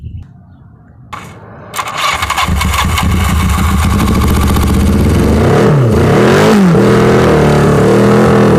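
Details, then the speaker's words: 1982 Yamaha 550 motorcycle, not run in about four years, after mild carburetor cleaning and wiring rework: quiet fumbling, then the engine catches, settles into a steady beat and revs up and down cleanly; runs fine. "got it to start"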